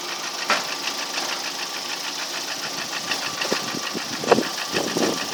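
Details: Lada Priora engine, a year later with only oil changes: steady idle with a light regular tapping knock; knock present, cause unclear, unchanged over the year.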